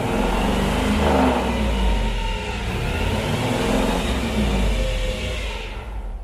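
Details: Chevrolet El Camino G-body with LS swap, back on the road after transmission pulled for a leak traced to the oil pressure sensor; engine runs smoothly through the gears with a steady whir, no clunks or slipping; healthy drivetrain.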